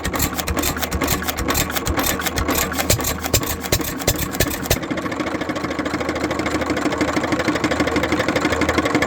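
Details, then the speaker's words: Economy (Hercules) 3½ hp hit-and-miss single-cylinder gas engine with governor, running; slow firing with a light loose knock each stroke from slight play in rod bearing and wrist pin. Rod bearing and wrist pin knock. "there's a little bit of play in the rod bearing which you can see there. And a little bit in the wrist pin. I can see a little bit of play there and you can hear it when it runs."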